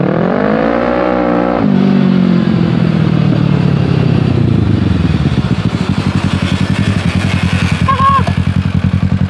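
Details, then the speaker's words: 600cc crosskart on its first drive: the engine pulls up, then a loud fast clatter from the rear drive tracks engine speed. The owner suspects the chain or its tensioner; the cause is unconfirmed. "I don't know if I need a new tensioner or what, but the thing sounds like it's going to implode."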